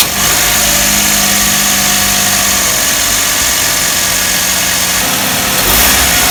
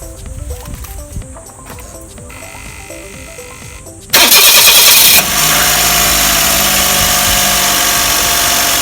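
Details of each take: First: Car engine idling just after the slack AC belt was re-tensioned tight. Steady, even idle with a smooth hiss and no squeal or chirp from the belts; the noise near the AC magnetic clutch has stopped. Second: Car engine cranks, catches and idles before adjustment, with a very slack AC belt that sags when pinched. A harsh, hissy chatter rides on top, probably from the AC magnetic clutch area: loose AC belt noise.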